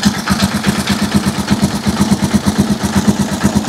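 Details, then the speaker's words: Rusi Chariot 175 trike single-cylinder engine after temporarily refitting a brittle, leaking rubber part that caused hissing and overheating: steady even thumping about two beats per second, no hiss underneath; normal idle after fix. "So matining na yung under niya, wala nang ingay. Walang nang ingay na naririnig tayo kay Chariot."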